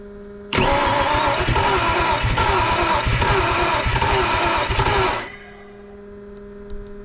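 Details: Project car "Two Tone", won't start: about five seconds of cranking with a loose, uneven beat and no firing. Spark confirmed at coil but not yet known at distributor.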